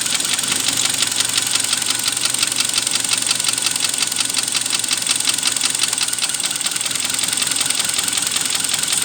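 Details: 2012 Kia Sportage 3, 95,000 km, engine hot at 80°C idle: light, sharp ticking several times a second, steady; knock seems louder when hot, unchanged by disconnecting plug wires one by one; cause not pinned down, owner fears overhaul.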